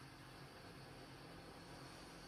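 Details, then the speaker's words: ETA SH TWIN combined log and pellet boiler during maintenance. The draft fan is started to check a door seal that feels loose from worn gaskets. It gives a smooth, even air rush with no hiss or whistle, so there is no air leak. "On entend qu'il y a pas de prise d'air, pas de souci. Il y a pas de prise d'air donc ça va."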